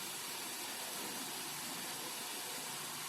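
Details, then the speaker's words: Dell laptop after CMOS battery reset to clear static charge causing no power/no boot: steady airy hiss of cooling fan spinning evenly, no rattle or whine, LEDs on; board powered and booting normally. "So that means this board is on. So because we see the fan response and the LEDs and the LED on the motherboard."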